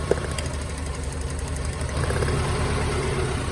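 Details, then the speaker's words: Mazda Miata running on three cylinders after a brake job: uneven, lumpy idle with irregular thump and shaking; spark present on number 3 but no RPM drop when unplugged, traced to a bad fuel injector. "So Shay, just after that brake job, I said, man, this thing is running like garbage. And it is, it's a misfire."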